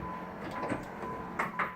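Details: Short steady electric motor whir, then two soft clunks as the lights reach their stops: pop-up headlight motors of a 1988 Pontiac Fiero with 127,000 km cycling normally.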